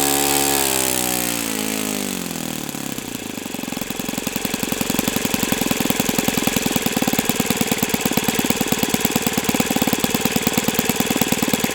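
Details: O.S. FS-91S II four-stroke engine, first run on test stand, primed, started at about quarter throttle: starter whir, then it catches and settles into a crisp, even high-revving bark with no misfire or hunting. Owner says it freed up once warm; normal running.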